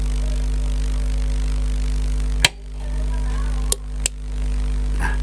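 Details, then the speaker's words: Newly assembled power amplifier, mic held close, power switched on then off; steady low hum, then sharp single clicks as the protection relay pulls in and drops out with a 2–3 second delay after the switch: normal relay delay, protection working as intended. "Jadi kalaupun kita matikan, dia tidak serentak dengan saklar yang kita tekan. Jadi dia ada jeda kurang lebih 2 atau 3 detik seperti ini."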